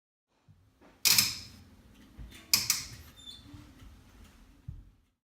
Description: Burnham boiler before starting up is making a weird clicking noise before startup.